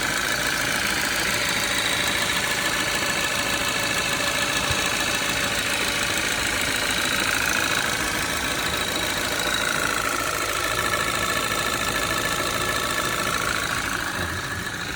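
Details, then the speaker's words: Audi 2.0 TFSI gen2, Stage 1 Revo tune, 2013, 150,000 km, cold start with cover removed: light rapid metallic tapping about three per second over busy cold idle; owner suspects piston pin-like knock, unsure of source. "И что-то вот схожий звук, как с пальчиком, что ли. Но, может, я ошибаюсь."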